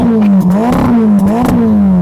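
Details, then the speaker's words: Ferrari Roma, 3.9 L twin-turbo V8, 620 hp, rear-wheel drive, revved at standstill: crisp blips climbing and falling in quick sweeps with a clean crackle on the overrun; the engine sounds strong and healthy. "While loads of manufacturers have very muted engines with soft limiters and turbochargers just ruining the noise, not with a Ferrari. Go on, start it up. Oh yeah, let's have some revs."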